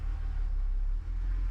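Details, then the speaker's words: BMW 135i N54 manual after full engine rebuild, first start: chokes briefly then settles to a deep, even idle with no knocks or ticks; a slight whine is the power steering pump; otherwise healthy. "can you hear it that little warning is just the power steering pump apart from that seems all right to me"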